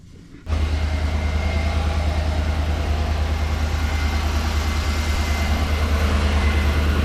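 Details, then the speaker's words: 2013 Chevrolet Tahoe LS V8 started from cold after repair of an exhaust manifold leak from a broken rear header bolt with a Dorman 917-142 clamp: smooth, even idle with steady low rumble, earlier ticking gone. "all right seems good to me I think uh I think that did our trick let me uh shut it off right quick all right cool so looks like it did the trick for now"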